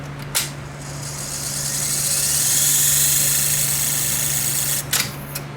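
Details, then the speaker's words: Vintage Tandberg Model 74B reel-to-reel tape deck during servicing: a steady low motor hum under a loud dry hissing, scraping rush from a bearing that needs lubrication; it is to be oiled. "like this bearing needs to be lubricated let's boil that bearing first before doing anything else"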